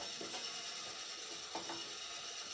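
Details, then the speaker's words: Curbside-found Sears compact table saw, blade height crank lowering the blade: quiet ratcheting clicks and gear chatter; adjustment works but is a little bindy, needing cleanup and lube. "But adjusting it. It's going down. I mean, it's a little bindy. Like, it needs a little cleanup and a little lube, but that works."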